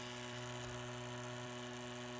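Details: Crosley BC-654A receiver with a PE-104A vibrator power supply fed 12 V, after new capacitors were added to cut ripple on the 84 V B+ line: a steady, even electric buzz at a fixed low pitch with no stutter or crackle. Normal vibrator operation.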